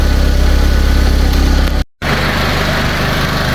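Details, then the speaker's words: Fiat 500 small petrol engine after a new head gasket and repaired cylinder head, warming up: idles smoothly and evenly with a steady low beat and no knocks or misses; power sometimes dips when the fan kicks in, battery suspected. "It's definitely sounding sweet. Sounded a lot better this time. Really does."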